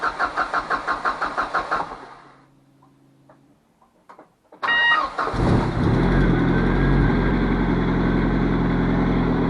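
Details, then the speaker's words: Cosworth after rust repair, with the water pump, alternator and power steering belts refitted: even cranking, then the engine catches and settles into a steady, smooth idle with no knocks. Normal start and idle. "okay we're all looking good yeah I'm happy with that we'll see how it goes hope do for a drive"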